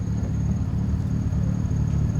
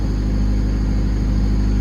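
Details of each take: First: 1995 Honda Civic coupe after replacing the idle air control valve and running a few minutes: deep, steady idle rumble with no stumble or hunting, no longer shaky, though the check engine light still shows the same code. Normal idle. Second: 1995 Honda Civic coupe on its first cold start after replacing the idle air control valve, check engine light still on. Loud, steady, deep drone held at raised speed with no dip. Cold-start fast idle suspected, not confirmed.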